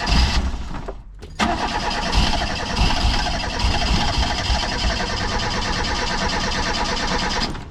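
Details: Non-running Reliant Rialto at full throttle with choke out and fuel lines pulled off: long cranking with only brief ragged firing, possibly leftover brake cleaner; no fuel reaching carb, suspected fuel pump or bad fuel lines.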